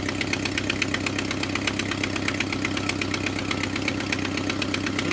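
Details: Jeep Wrangler TJ at idle in early spring, known unresolved timing chain issue: sharp quick ticking puffing in step with firing from an exhaust manifold leak blowing by at the back corner, not the timing chain.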